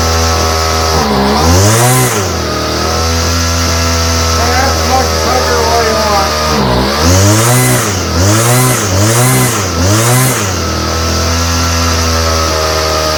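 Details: Homelite string trimmer, no model number, new non-OEM Chinese aftermarket carburetor; two-stroke idles steadily then surges in short rev bursts, mixture not settling, adjusting screws seem to change nothing. Cause suspected, not confirmed.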